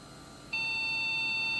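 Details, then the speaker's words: Old custom-built Athlon PC, MSI board, AGP card, a single salvaged DDR stick: one continuous high-pitched beep holding over a second at power-on; a long POST beep, suspected memory issue. "Yep. So it sounds like a memory issue."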